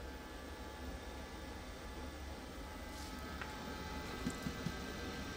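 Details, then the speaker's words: LG 20 kg washer-dryer that earlier showed dHE within minutes, timed dry, now heating with no error: steady low hum from blower and drum with a couple of soft taps; running evenly and normally. "Yes, my dear, it's okay. It is getting heat. Also not showing. Before, it's within few minutes it's showing dHE. Yes, it's getting heat. No any problem. Blower also working continuously."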